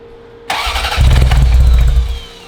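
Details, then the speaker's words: Ferrari 348, first start attempt after engine-out timing belt major service, about 2 gallons fuel: starter churns under two seconds with no firing, then drops off; crank no start, throttle not opening because linkage knocked loose. "Check the throttle. What, when you pushing it? Oh, it's Yeah. not moving."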